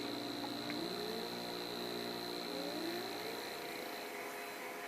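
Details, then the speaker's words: A 5 A motor driven at full throttle through an H-bridge from a small servo's motor outputs: a steady low buzz over the motor whir from the roughly 50 Hz square-wave drive. This is normal, and the buzz stops when the motor is at rest. "you can hear it buzzing it's because it's receiving a square wave so you can hear it the humming is actually the frequency of the square wave it's receiving which is i believe i measured it's right around 50 hertz"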